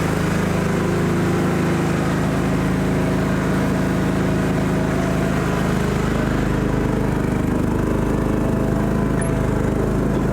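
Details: John Deere GT225 lawn tractor's small petrol engine holds a steady, even drone with no misses or knocks while driving on test ride after being fixed from not running; now starts easily every time, runs and drives nicely; normal running.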